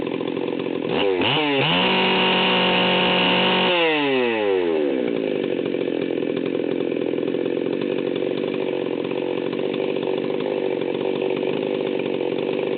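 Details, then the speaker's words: Stihl 038 Magnum chainsaw, fully assembled, at high idle/full throttle: climbs fast to a steady screaming top speed with a rough, burbling edge, about 14,000 rpm; high needle set super rich, deliberately, for break-in. "you can hear that this thing is running about 14 1 and it's running super rich"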